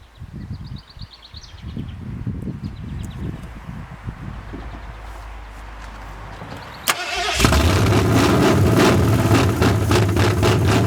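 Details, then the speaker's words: 1981 Ford Mustang 5.0 V8 carbureted, parked since 1996: steady cranking then a rough catch that won't settle; fuel starvation, the tank petcock had been left off and the mechanical fuel pump was later found dry and shot, not pulling fuel. "This fuel tank has a petcock on the bottom. I forgot to turn it on. Well, there we'll get some fuel flow."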